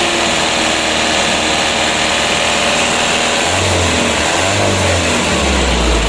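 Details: Mitsubishi Canter 125 PS Super Speed diesel truck with a new injection pump, after governor spring and throttle bolt adjustment: climbs from idle with a rising, clean tone under throttle and no knocking or stumbling; throttle response good.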